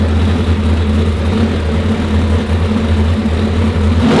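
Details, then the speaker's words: Car on the dyno: a deep, steady, laboured drone that never climbs in pitch, with no normal RPM swing. Boost isn't building because the wastegates are held open. "click the button super labored you guys probably hear it like normally when you let go the button you know you get that big swing up in RPMs"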